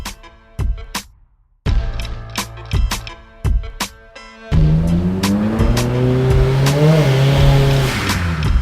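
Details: A turbocharged S2000 on the dyno under boost gives a smooth, rising engine note that pulls cleanly through the revs without stutter, music over it. The ignition misfire is cured by checking plug gap and fitting higher-heat-range spark plugs.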